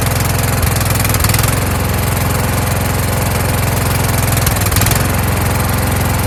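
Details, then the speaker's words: Kohler Courage engine on a tractor, winter, engine cover off, after swapping in the donor engine's carburetor with a self-returning choke: firm, even pulsing at about three and a half beats a second, steady throughout. Normal running. "I swapped the carburetor off of the donor motor, put the carburetor on there, and without me putting a spring there, choking it, and it springs back by itself."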